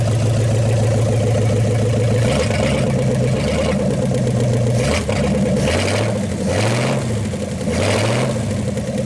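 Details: 1956 Studebaker Golden Hawk V8 at its first start in 50 years, steady idle then clean throttle blips with no knock or miss; carburetor and mechanical fuel pump doing well, with only fine tuning needed.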